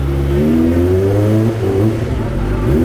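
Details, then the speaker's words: Kawasaki ZX25R with Yoshimura exhaust, after a tune-up before touring, revs climb and fall cleanly with a full, even exhaust note and no knocks or rattles; healthy engine. "Nah itu dia udah sehat lagi guys Jack mah udah mulai enak lagi ya begitu jadi sore udah mantap lagi Ini udah mulai berbobot"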